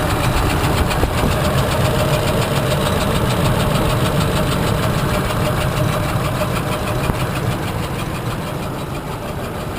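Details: 2004/2005 Ford Expedition, hard to start, rough shaky idle with loose irregular tapping; first suspected bad cam phaser, later found broken lifter in cylinder 3 threw rocker arm, valve bent on piston, camshaft destroyed.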